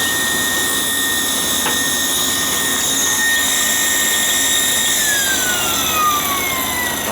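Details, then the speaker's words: Gas hot-air furnace that wouldn't run, fan switched on: steady high-pitched whine that slides down in pitch as the motor slows. The inducer motor, not the blower fan, is making the noise; possibly oil inside it. "definitely that motor it's definitely that motor that's making the whining noise it's not the fan"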